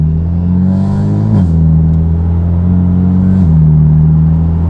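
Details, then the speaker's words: BMW F80 M3, warmed up, driving with prototype equal-length midpipe installed: heavy steady low boom at cruise, dropping with each shift; the 2000 rpm exhaust drone/buzz persists, sounding good past about 2300 rpm. "yeah unfortunately I still hear the 2K res"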